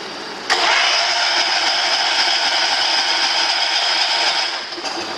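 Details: John Deere 210 tractor cranking after about a year unstarted, choked, in neutral with a 12 V battery: four seconds of steady starter whirr that never fires; likely no fuel reached the engine yet, not confirmed.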